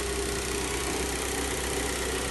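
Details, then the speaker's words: Rare 1.1L petrol Rover 25 first start after sitting untouched in a garage for eight years, battery fitted: steady, quiet idle with an even beat, no misses, rattles or knocking; normal idle. "as you can see you might even hear it it's running so this little rover 25 has been sat in a garage for eight years untouched unloved or probably was loved actually but untouched for eight years you can see by the rev counter she's idling"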